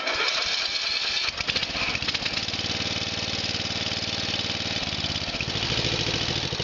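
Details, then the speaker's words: Murray's Power Built 12.5 engine just after its first cold start in four months, choke pulled out slightly to keep it running in cold weather: a small single settles into a steady, slightly lumpy putter; a cold engine idling on partial choke. "I got the choke pulled out just a tiny bit to keep it running. It's pretty cold out, so it's understandable."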